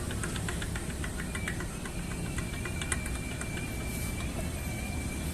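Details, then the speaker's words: Honda Vario 150 scooter: sharp metallic taps about four or five a second over a rough idle; worn connecting rod knocking, piston also scored, connecting rod replaced. "kedengaran lah udah parah ini Abang ganteng yang punya motor"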